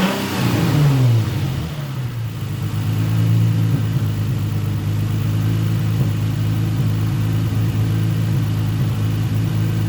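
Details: Nissan 350Z after a cylinder misfire, with coils swapped between cylinders and codes cleared. One throttle blip, then a steady, even idle with no skips; the misfire was a spark plug, though it still smokes from burning oil.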